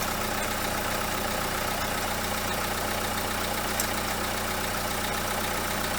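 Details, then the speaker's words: Renault Kangoo 2, 1.5 dCi diesel idling: faint uneven scraping rattle at alternator, clear through stethoscope; alternator overrunning pulley clutch worn with large play. "Якщо слухати стетоскопом і поставити його, наприклад, на генератор, дуже відчутно оці от сверчки. Дуже."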